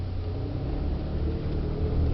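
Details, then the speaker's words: 1997 Chevrolet Camaro RS driving: low grumbling rumble and grinding under road noise from a worn front wheel bearing hub assembly, loudest when turning and the bearing is loaded; fixed by replacing the hub assembly. "kind of a low Rumble sound grumbling kind of a grinding sound you likely not hear it when you're going straight but whenever that bearing's Under Pressure whenever you're turning and the wheels under tension that's when you'll hear it"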